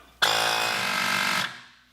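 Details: Inflator pump on a Heybike Ranger e-bike front tire during flat repair: buzzy, steady high-pitched motor drone runs evenly about a second then cuts off cleanly once at pressure; inflator working normally.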